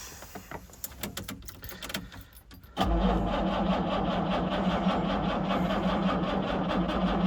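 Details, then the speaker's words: 1968 Jaguar E-type Series 1½ convertible, sat about two years, battery previously run flat, now jump-boosted with a second battery and choke in use: slow uneven cranking, then catches into a rough run; hard start. "that was a little bit of life let's try it again got oil pressure though"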